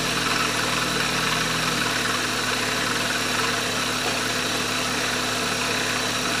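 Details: Maruti Wagon R that would not start after running out of petrol, restarted after priming by cycling key on/off several times: steady, even idle hum with no knocks or misses; runs smoothly once fuel reaches it.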